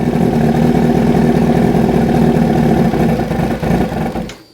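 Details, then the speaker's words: 2005 Yamaha R6 idling during throttle-body sync with vacuum gauges. Turning the middle bank-balance screw the wrong way drops the idle; it sags, then stalls abruptly with the two banks far out of balance. "oh i killed it that time you can see the two the two uh banks are really far off"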